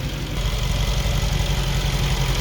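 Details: 2021 Mercedes G63 V8, 108k km, after engine repair and reconnecting vacuum line, A/C on: steady smooth idle rumble, no vacuum pump or blower noise; normal idle.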